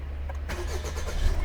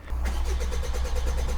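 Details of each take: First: 1.5 BlueHDi 130hp DV5 diesel after fuel filter change and repeated key-on pump priming: short crank, catches at once and settles into steady even low idle; starts fine. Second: 1.5 BlueHDi 130hp DV5 diesel (Rifter/Berlingo platform) after fuel filter change: starter churns about eight beats a second then stops without firing; filter housing left without fuel, air in system, likely low fuel pressure fault code.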